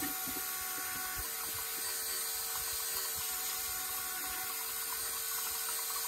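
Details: New electric lift pump on a construction machine diesel, priming the filters: quiet, constant high-pitched whir with no stutter or surging, flow noticeably stronger than before; normal electric lift pump running.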